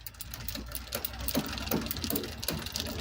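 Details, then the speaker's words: Bicycle rear derailleur shifting down through gears 8, 7, 6 while pedalling gives uneven ticking and chattering about three a second. The chain struggles to settle because a stretched cable has lost tension. The fix is turning the barrel adjuster to re-index the gears. "You hear that? Yeah, that's possibly the noise you've been experiencing, and it got there in the end. Let's go down and try that once more. It's just struggling."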